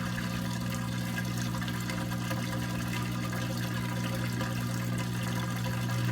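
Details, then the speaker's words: Maytag washer in diagnostic test cycle after faulty drain pump issue: steady low pump hum under water rushing out; drain pump fully emptying the tub properly. "that will pump out and it needs to fully pump all the water out"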